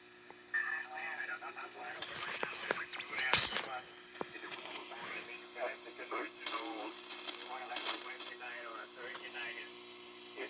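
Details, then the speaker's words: Heathkit GR-81 three-tube regenerative receiver (150 kHz to 18 MHz): a strong single-sideband station comes through harsh and garbled over hiss as it overloads the receiver. "okay yeah see that's sort of overloading it that's very strong"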